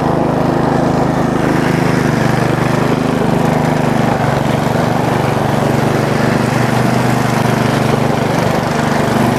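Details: Bolens riding mower single-cylinder engine after valve cover cleaning, homemade gasket and overnight battery trickle charge, started on choke with clutch pressed: steady mid-speed even note, no misfires or knocking; normal running.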